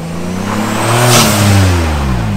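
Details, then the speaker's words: 2018 Jeep Wrangler JLU Rubicon after turbo kit install, on a test drive: engine note climbs cleanly and evenly with no knocks, rattles or whistles, no check engine light or leaks, so acceleration is healthy. "no check engine lights it's running great sounds great sounds good yeah so installation wise yeah no oil leaks no exhaust leaks no nothing"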